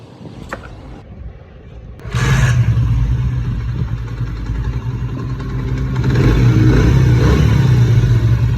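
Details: Motorcycle engine after an engine-noise repair: catches after a moment's quiet, then holds an even, steady idle with a light rev rise and no clatter. Runs healthy.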